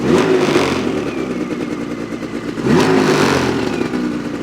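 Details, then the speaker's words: New 2026 Ski-Doo MXZ 600 EFI Sport two-stroke snowmobile with electronic oil pump, still in break-in: revs up twice, and a faint high thin whistle rises with each rev over the engine buzz; source unknown. "I don't know what that is. It's strange."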